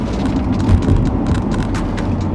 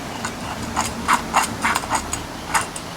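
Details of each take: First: Turning right, turning left. No noise. I believe we've got that sorted. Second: Old front wheel hub removed from a B-series Ford Falcon (BA/BF) and spun by hand: irregular gritty clicking and rattling in about three to four bursts a second; the wheel bearing is worn out and the hub is being replaced.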